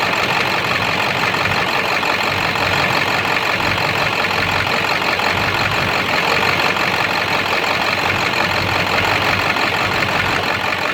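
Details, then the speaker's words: 7.3 diesel switched from high idle to street mode: uneven clattering idle with an irregular knock, described as sounding like a rod knocking. Raw diesel smoke, EGTs good; cause unknown. "I'm gonna switch it to street. Making a totally different noise. Sound like a rod knocking."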